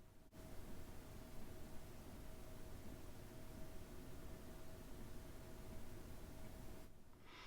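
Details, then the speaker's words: Happybuy 5 kW diesel heater in a trailer at about 12°C ambient, with the microphone right in front of it: a soft steady hum, a faint constant higher tone and quiet rushing air. The pump is audible because the box is not sealed; running normally. "i can hear the pump uh and that is because the box is not sealed"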